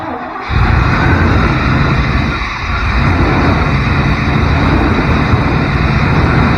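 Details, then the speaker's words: 1992 Chevrolet truck pulled from a field after 10-15 years; catches after a short crank and settles into a steady, even low rumble with no knocks or misses; sounds healthy. "That sounds good. It sounds healthy."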